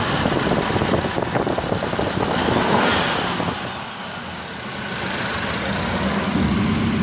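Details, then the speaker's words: V8 with newly installed Holley Sniper EFI throttle-body injection: steady idle with light, quick injector ticking under intake rush; normal injector ticking at idle. "I don't know if you can hear the injectors running, hear them ticking a little bit, but"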